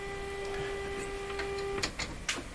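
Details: Canadian Westinghouse Model 684 radio during alignment, tuned near 1500-1590 on the dial with a signal generator; loud steady test tone comes out rough and buzzy instead of clean, then stops.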